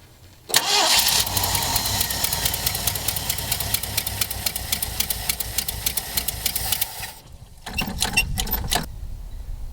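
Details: Ford Bronco, first run in 12 years after timing set to top dead center and new plug wires; fires into fast, even idle about six seconds then dies, brief refire sputters out, fuel starved after using fuel poured into the carb bowl.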